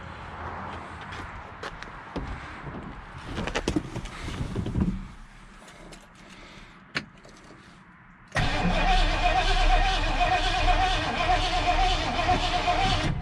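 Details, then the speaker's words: 1967 Ford Galaxie 500 with a 289 V8, gas poured into the carburetor to test for spark: the starter turns the engine over at a steady rate but it never catches. It cranks without starting, with a spark problem suspected. "I just want to see if I had spark. Can't tell. So you got gas. We got to figure out spark."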